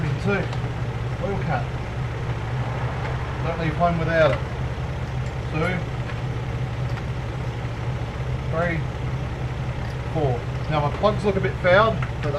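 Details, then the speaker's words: Toyota AE101 Levin, a few hours after reassembly following timing belt, crank and cam work: even, settled idle with a steady low hum and no knocks or misses, though the owner thinks it needs more oil; normal idle. "and it's running pretty happy with that sounds like it needs more oil though but other than that running"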